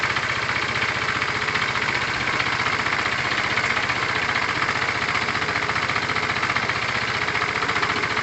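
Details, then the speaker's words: Tamoretti with replacement carb idling after air-fuel and idle screw adjustment: steady, even single-cylinder idle about three beats a second, no misses or surging; owner judges mixture near optimum. "so my guess is that it's at its kind of optimum performance there"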